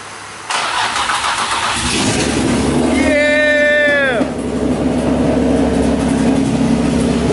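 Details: Drift car built overnight with parts swapped from a G35, on a makeshift coolant reservoir and a freshly charged battery, with open downpipes: brief cranking, then the engine catches and settles into a steady idle without stumbling. A clean first start at 6 a.m.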